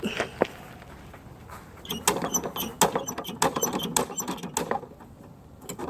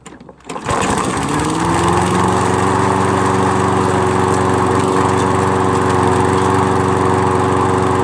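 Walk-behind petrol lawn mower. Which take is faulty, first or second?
first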